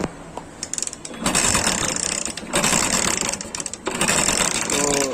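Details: Hero Honda motorcycle (Splendor/Passion type) with timing chain previously serviced, noisy for a while and now not starting in the morning: cranking bursts with harsh metallic chatter and no firing; timing chain rattle while cranking.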